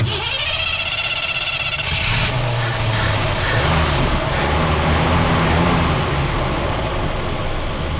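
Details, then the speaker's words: Abandoned 1967 Ford Galaxie 500 V8 with carburetor acting up, vacuum leak and distributor not locked down, after adjustment: steady idle with fast, uneven lope and hiss; still rough, needs more air, better than before. "Already tell it's better. Gotta give it more air. Y'all, she ain't right, but guess what? I'm done."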